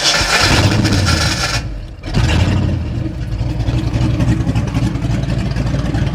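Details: 1989 Mustang GT, first start after sitting over 10 years, still needing a complete fuel system: the engine dips briefly, then catches and settles into a steady, even low idle with no knocks or stumbles; oil pressure looks good.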